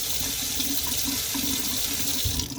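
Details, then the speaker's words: Hot-water faucet after refilling a water heater with a new temperature and pressure relief valve: a smooth, even hiss of water with no sputtering. The air is purged, hot water is flowing and the line is running normally. "oh i just probably can't run for a while but yep good flow almost you kind of see the smoke rising a little bit there we got hot water air is out of the system"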